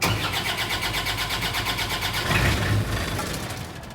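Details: PCI Self Generating Nitrogen Servicing Cart (SGNSC/GANG) diesel engine, start switch held about 2 seconds: rhythmic cranking pulses about three per second, then it catches and settles into an even run, idling around 1500 rpm to warm up; a normal cold start.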